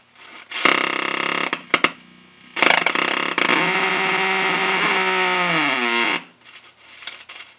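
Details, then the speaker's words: 1933 RCA Model 120 cathedral tube radio raised to 110 V (rated 115) with doubtful original capacitors. Harsh buzzing bursts, then a loud drone sagging in pitch before cutting out. Motorboating oscillation, likely from tired filter capacitors. "an epic motor boating"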